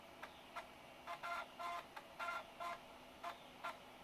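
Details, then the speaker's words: Apple PowerBook 5300c floppy drive reading a disc during restoration: short buzzing chirps about once a second at uneven gaps as the head steps across the disk. Normal floppy drive reading. "it probably won't boot it because it's a power PC but we'll see yeah it's reading the disc"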